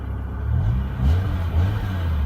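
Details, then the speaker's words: 2006 BMW M5 V10, 500 hp, 10,700 miles, idling then lightly revved (redline 8500): deep, even rumble swells smoothly and settles back, no knocks or misses; healthy engine. "that's only the beginning of it doesn't Red Line till what 8500 good Lord thing's a beast"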